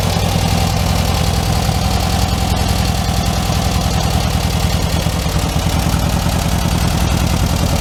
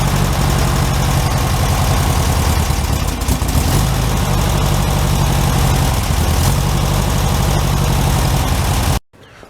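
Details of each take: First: 1967 Volkswagen Karmann Ghia convertible, air-cooled engine, first real start after oil cooler leak repair, no oil leaks; steady, even idle with a smooth low putter and no knocks or ticks; normal idle. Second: 1967 Volkswagen Karmann Ghia convertible flat-four, first real start after oil cooler leak repair, weak battery: freshly started engine chugs with uneven, lumpy idle that never settles; rough idle needing adjustment, no oil leaks.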